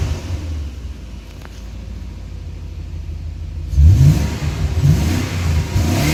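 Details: BMW E38 740iL V8 running after 4 years sitting out, second run with vacuum leak fixed: settles at a low, even idle, then revs with a deep, fuller roar; normal running.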